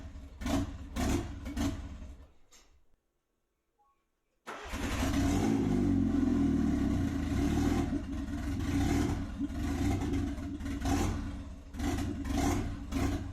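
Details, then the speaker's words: Nissan Pulsar after turbo engine swap, fresh oil change, tune not yet uploaded: cranks, catches, surges and stumbles with uneven pulses, won't settle to idle; rough running without engine tune. "ication baby Po in um just going to start it we'll run rough for a little bit I just got to upload the tune so I can actually [ __ ] idle"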